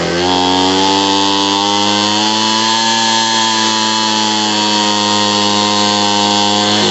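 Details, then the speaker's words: Homelite 26B two-stroke leaf blower after carburetor and fuel line repair, adjustment screw turned to stop bogging: steady high-pitched scream held evenly at full throttle, no stumbling or surging; normal full-throttle run. "Clockwise, so it's full rev. That's perfect."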